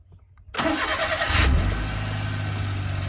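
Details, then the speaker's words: 1999 Suzuki Every DB52V, F6A engine, sudden no-start fixed temporarily by bypassing fuel pump relay: short crank, catches quickly and settles to even steady idle, no misses or knocks; check engine light stays on, cause still unknown. "the engine runs very good but the check engine light is keeping on"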